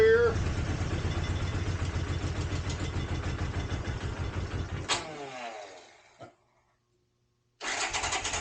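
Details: 1983 Honda GL650, sat outside 30+ years, carbs cleaned, started on choke: catches straight away, even steady low putter, no smoke; normal idle.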